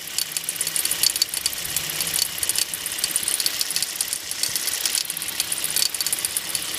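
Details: Hyundai Solaris engine at idle: fast, sharp metallic ticking rattles steadily over a thin engine hum; engine knock, source not evident.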